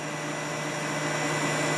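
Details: Kenmore dehumidifier during cleaning and maintenance, cold winter conditions: even hum with fan rush, building slightly as the compressor comes back on and settles; a normal restart with nothing rattling.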